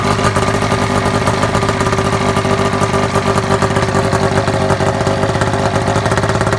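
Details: Custom vehicle with a snowmobile two-stroke engine and Polaris Power Pro primary clutch, running and revving: raspy with loud splattery chuffing. Exhaust leaks all around the muffler, which is just set on, not packed or riveted.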